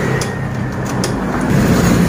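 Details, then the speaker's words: 2016–2019 Honda Beat FI scooter, CVT noise when the rear wheel is spun with the engine off: a thin, steady high whine, silent without the pulley fitted. The secondary pulley looks fine; the failed part is its inner bearing. "Oke, sebenarnya apa yang menyebabkan suara itu? Mari kita analisis langsung, teman-teman. Perhatikan katrol sekunder di sini; Saya rasa kondisinya masih bagus. Ternyata, kerusakannya terletak pada bantalan bagian dalam ini."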